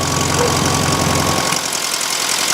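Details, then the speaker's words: 1971 VW Super Beetle air-cooled engine, freshly cleaned carburettor; idles lumpy and uneven, then sags and nearly dies when the idle jet is screwed closed; rough idle from closed idle jet starving it. "I close it, it struggles."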